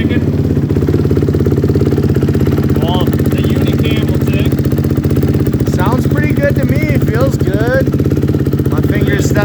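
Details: 2006 Honda CRF250R four-stroke after valve work, started very cold with kicks: quick, even single-cylinder thumping at steady idle with no ticks or knocks; sounds healthy.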